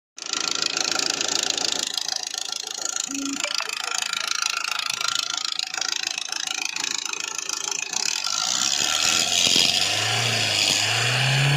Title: hyundai verna crdi vgt 2009 engine rattling sound 2lakh kms on odometer #hyundai #verna #crdi #vgt